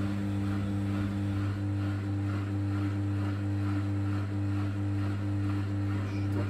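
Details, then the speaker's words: Bosch WFK2801 washing machine showing error 03, stuck full of water after a 40-degree cotton wash, set to spin: steady low electric hum with a faint slow pulse underneath, drum turning not clearly audible; drain pump running normally, nothing found in it. "Pump's back on again. Pump's on."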